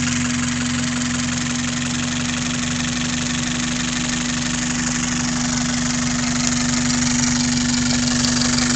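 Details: 5S-FE engine at idle: a constant hum with an even tapping about four times a second. Owner calls it a weird noise; cause unknown.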